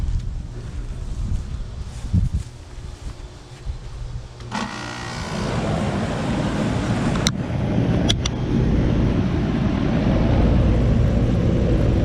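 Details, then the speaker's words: Goodman AC unit that wasn't cooling because the compressor wouldn't run, only the fan, after replacing the bad 45/5 MFD capacitor: quiet, then a thump and a steady, even low hum as the compressor starts cleanly; normal compressor start. "Procedemos a lo que es prender la máquina, que todo arranque bien."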